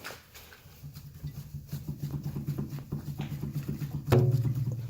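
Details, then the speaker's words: 2013 Nissan Pathfinder SL 4WD, 80,000 miles, five years old: dull low front knocks about three a second as the sway bar is worked. Suspected play in dried-out sway bar mount bushings; new bushings expected to fix it. "so take a look and I bet you the the rubber got a little bit dry in the sway bar mount bushing and now there's just enough room to have play in there"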